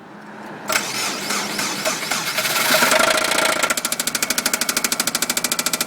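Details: Subaru engine run out of oil multiple times; the owner thought it was a belt noise. The engine cranks and catches, then knocks hard and regularly about three times a second at idle. This is rod knock from worn bearings.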